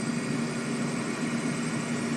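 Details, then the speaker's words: Trane 7.5-ton rooftop unit, two-stage gas heat with a new RTRM board, after low inlet gas pressure was raised at the regulator: a steady roar and low hum with no clicking or surging, running cleanly; low pressure suspected of causing erratic gas-valve action. "it's smooth sailing right now as you can see as you can probably hear we're running fired up and we don't have any issues so far"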